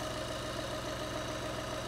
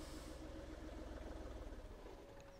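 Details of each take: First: 2012 VW Polo 1.2 TDI that started then stalled after two seconds (codes P261A00, P023800, P010400), after repair including EGR cooler and a replaced clamp: steady, even diesel idle, no misses or hunting; fixed. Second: 2012-13 VW Polo 1.2 TDI diesel, codes P261A00, P023800, P010400: catches and runs rough and low for about two seconds, then sags and stalls; suspected EGR valve stuck open choking it, intake cleaning didn't help.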